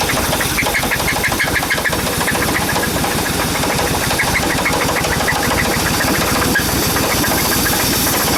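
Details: Suburban engine with a knock and squeak, after new plug wires, plugs and rotor, and after Seafoam treatment: rough running with a fast, even ticking at idle; top-end tap persists, cause unconfirmed.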